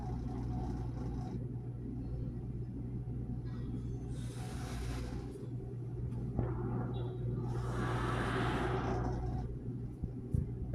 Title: Ge Dishwasher making Noise #dryerrepair #quickdrying #gewasher #fridge #thermador #lgwasher